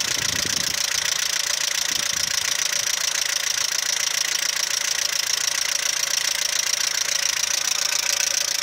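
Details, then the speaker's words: Audi 80 B3 at idle, fast even ticking about three and a half per second, owner suspected valves/lifters, quieter once warm; teardown found scored bearings from weak oil pump and low oil pressure, requiring engine overhaul. "Как говорят, проблемы распространенные на этих движках. Либо масляный насос не отрабатывает свое, не создает давление."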